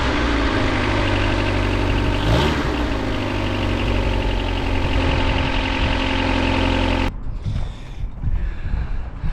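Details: Rover 216 SLi with Honda D-series engine, just after rocker cover gasket replacement: even four-cylinder idle holding a steady pitch for seven seconds with no top-end ticking, then a clean shut-off.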